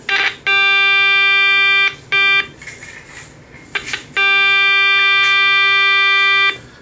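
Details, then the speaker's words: Early Channel Master 8-transistor AM radio made by Sanyo, under repair: audio generator signal injected into the audio amplifier gives a clean, steady buzzy tone in bursts of a second or two with no crackle or distortion. The audio stage works. "nd we'll see if we can inject any sound in and see the audio amplifier is working so I can do this with just an audio source or I can do it with my signal injector"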